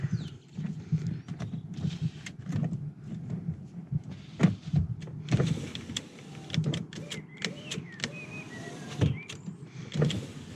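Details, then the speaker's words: Car with failed left rear window switch; another window operating: smooth even low window motor whir without strain or grinding; these other windows work normally. "the other windows work"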